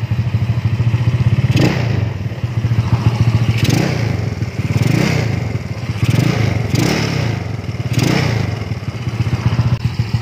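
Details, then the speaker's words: Neglected Yamaha Nouvo Z scooter, kick-started since electric start fails, revved: deep engine rising and falling with each blip, loose metallic clatter on top throughout, from the engine not the exhaust; cause unknown, leaking final-drive oil seal, owner suspects dirty carburetor. "Cuman berisik banget, semua berisiknya tuh bukan berisik karena knalpotnya ya. Kayak suara mesinnya tuh, gila sih,"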